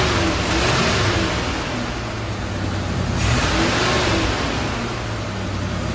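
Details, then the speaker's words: 1977 Chevy C10 Cheyenne 350 V8 with Quadrajet 4-barrel, sat for several years: blipped revs stumble unevenly with lumpy beat and dropped pulses, misfiring and rough; owner suspects cam, also vacuum leak at carburetor gasket, carburetor to be replaced. "well it's looking more and more like a cam but we're going to we got to replace the carburetor anyway"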